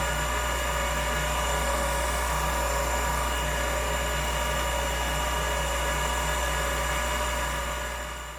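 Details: Old Finch hard drive for a Centurion minicomputer, heads unlocked and spun up while owner fears a head crash: smooth spinning hum, thin high tone, light even ticking, no scraping, winding down at end; heads flew, drive sounds normal.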